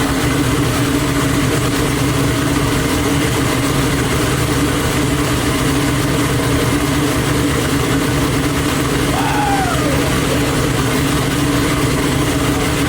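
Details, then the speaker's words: Twin-turbo Nova V8, first start after two months of problems, running methanol, no coolant flowing: deep even rumble at steady idle, no knocks or stumbles; sounds healthy. "Oh, it sounds fucking killer. It's gonna be a beast."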